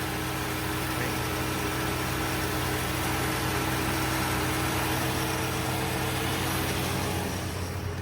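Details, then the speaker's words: 1965 Plymouth Barracuda slant 6, parked since 1994, first run with gas supplied: smooth steady low rumble, even firing, no knocks or ticks, not smoking badly, though it won't idle; running normally. "That's not bad. That old motor sounds good, don't it? Yeah, sounds way too good."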